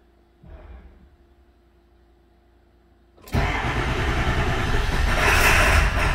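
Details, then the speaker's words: 2002 Ford F-250 7.3 diesel after an IDM swap: crank, pause, then a loud, uneven, lumpy run that never smooths, right-bank cylinders not firing, code P1316; cause was a rubbed-through 115V right-bank injector feed wire near C110. "oh that's not very good well let's see what codes it's generating"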